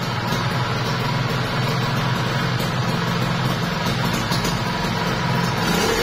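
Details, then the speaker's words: Kawasaki Ninja RR two-stroke, overbored, block and piston check: steady, even idle with crisp buzzing beat, slight smoke, no knocks or rattles from the bottom end; normal idle. "Jadi ini agak asap dikit ya bosku. Jadi di sini buat mesin dia halus banget sih ya."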